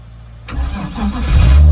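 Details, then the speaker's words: BMW drift car after winter sitting, low battery voltage prevented starting: jump-started from a Toyota; brief cranking then engine catches and settles into a low steady hum. "usually with the BMWs if they're under a certain voltage in the battery it won't start but once the charge got into it from the Old Reliable away it went"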